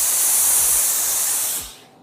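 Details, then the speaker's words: Laurastar S-Pure Extra iron using regular tap water, twice-heated dry microfine steam: smooth, steady hiss that cuts off cleanly with no spitting or dripping; normal steam burst. "This is a twice heated steam that is more like a gas than a steam, so it won't spit or drip on your fabric or burn your hand."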